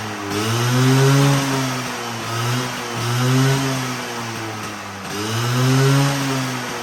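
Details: Vespa V9B1T 100 two-stroke after carburetor rebuild: idles crisply, then blips cleanly up and back down three times with no stumble or misfire; normal running.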